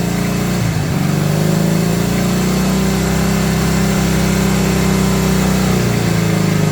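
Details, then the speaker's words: 1970 Honda 600 sedan (N600) engine revived with rebuilt carburetor, run briefly from a gas can, holds a fast even buzz around 4,000 RPM and won't idle down; throttle cable too tight, needs play for idle screw to work. "Does idling about 4,000 RPM. Of course, I keep losing my screwdriver. Here it is. Let's see if I can get it to uh Oh, yeah. It wouldn't idle down. So, that must be really too tight there."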